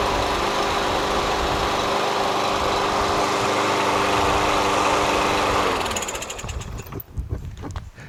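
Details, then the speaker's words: Curbside Yard Machines MTD push mower with Briggs 550EX Ready Start auto-choke engine, which surged and ran rough before; after carburetor cleaning and a substitute spring, it runs smooth and steady at even speed, then shuts down cleanly; healthy. "Sounds great after that carb clean, you know what I mean?"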